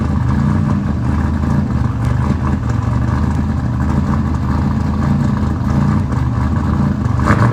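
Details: Race engine running after installation of RJC V-band exhaust gaskets. Loud, steady, lumpy low idle rumble with no hiss or ticking from the exhaust joints. Sounds sealed and healthy; normal running.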